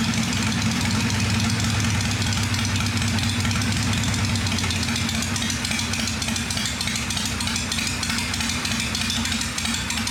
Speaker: So, but she's quiet. She sounds good.